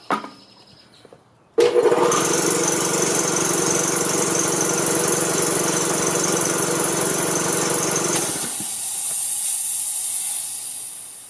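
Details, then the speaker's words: Quincy air compressor that previously would not turn, guard removed: starts abruptly into a steady, even pump chatter with airy hiss, quickly building pressure from 90 to 110 psi; normal running. "no problem it's already up to 110. just in those few seconds from 90 to 110 and whatever how long it took but so everything's working great"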